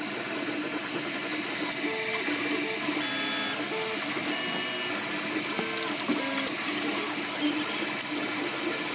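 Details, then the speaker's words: MakerBot Replicator 2 running, mic close to the side opposite the motors: stepping motor tones with irregular sharp clicks and brief squeaks, definitely from that side; something rubbing or catching, cause unknown. "Here I'm getting a little squeak there too. Definitely coming from this side."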